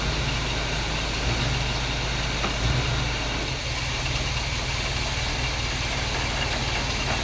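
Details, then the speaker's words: 1947 Chevy hot rod V8 stored and forgotten for years, first run out of storage: steady, even low idle with no misses or stumbles, all eight cylinders firing cleanly; normal idle. "she runs all right I'm gonna let idle turn the battery up seems like it's hitting on all eight now"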